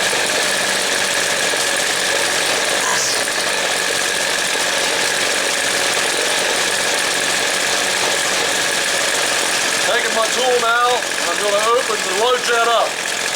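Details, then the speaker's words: Two-stroke Weed Eater string trimmer, low-speed jet opened until it stutters: buzzy note sags and wavers when too rich, then clears as jet is closed about a quarter turn. "here how it slowed down and i'm going to close it back up i'm just going very small amounts of time i've turned it about a quarter turn right now hear how it's starting to clear itself back up"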